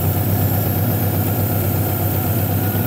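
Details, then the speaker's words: Honda H22A 4-cylinder after cleaning the fast idle valve air channel to cure high erratic cold idle: low, even idle with a smooth steady beat, no surging; running better and quieter than before the repair. "this is a h22 a by the way the idol is very steady the engine is actually running a lot better lot quieter and better than before"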